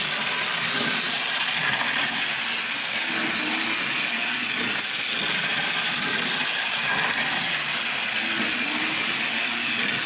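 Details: Lionel Tie Jector model train car running on test track with dirty wheels, a suspect roller housing and a track continuity problem: a steady high-pitched small-motor whir with faint running-gear clicks, even speed; normal running.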